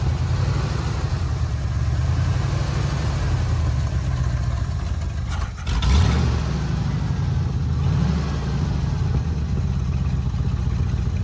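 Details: 1979 Ford F100 pickup V8, sat unrun at least ten years, first restart on temporary fuel line: low, uneven idle that lumps and wavers with a brief stumble, only running with choke nearly fully on; rough idle on full choke, fuel delivery suspected.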